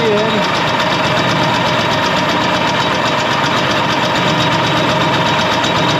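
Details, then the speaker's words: 1967 Ski-Doo two-stroke, Tillotson carburetor mixture set too rich: engine skips and wanders instead of holding steady RPM, jumpy, boggy and weak on power from too much fuel. "The motor will start skipping. It won't have that steady RPM to it. It'll be jumpy and skipping and kind of weak on power as well, kind of boggy because it's too rich, too much fuel to the air."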